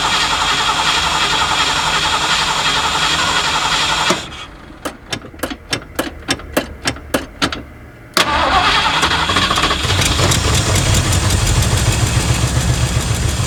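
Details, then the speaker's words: Abandoned 1979 Ford F150 with modified 351 V8: catches on brake cleaner, runs briefly, dies, then stumbles back unevenly, smoky; accelerator pump not moving, leaky gas line; owner suspects clogged carburetor or fuel pump. "Starting to think we've got some issues with this carburetor or the fuel pump, one or the other."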